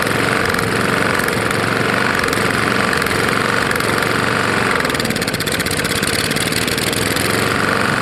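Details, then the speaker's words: Roadside-found Lawn-Boy mower, 149 cc non-OHV engine, running: rough, uneven knocking in the exhaust beat; owner suspects a bad lower end or piston hitting the head, possibly from packed dirt and grass; unconfirmed. "it sounds like it's hitting the head probably is"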